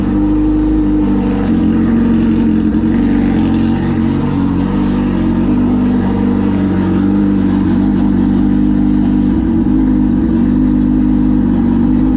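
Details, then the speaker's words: Suzuki Hayabusa motorcycle engine starting after a battery swap: catches and runs smooth and steady with a few light rev blips, no misfire or rattle; charging confirmed, healthy. "Yep, definitely started. All right, and it was charging, so that's cool."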